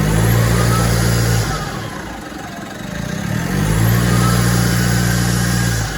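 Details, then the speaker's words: 2016 Mitsubishi MQ Triton Athlete diesel after loose hose clamps tightened, airbox and MAF refitted: steady rumble dipping and rising with thin whistle sweeping over it; owner still suspects turbo cooked, unconfirmed. "Yeah, I still think the turbo's cooked, unfortunately. Yeah, I have a feeling the old girl's cooked."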